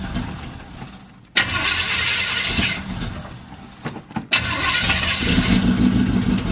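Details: Cutlass on a cold day, around 30-something degrees, started and left to warm up after the middle bolt was refitted but with the rear header gasket still damaged: a sharp, raspy puffing tick in time with firing, less bad than before. Exhaust manifold leak.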